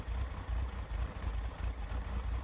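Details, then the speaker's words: 1961 Chevrolet Corvair Lakewood after FAST XR 700 optical electronic ignition install: starts easier, deep slow even rumble with soft loping beat, no misses, but idle noticeably low; idle to be raised half turns on both carburetors. "it's starting a lot easier with this new electronic ignition it's running okay but the idle does seem a little bit low"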